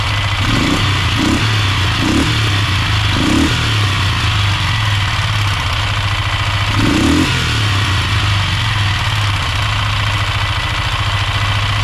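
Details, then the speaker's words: Polaris Sportsman 500 ATV, test run after top end rebuild: uneven knocking thumps over a rough single-cylinder idle and blips; source unknown, owner considers refitting the old automatic hydraulic timing chain tensioner in place of the manual one. "maybe one of you guys knows something that could be causing this noise I would very much appreciate some insight"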